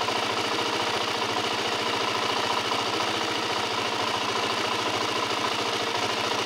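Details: LTZ 400 idling with a fast, even ticking about twice a second over the engine. Light metallic top-end tick, cause not pinned down.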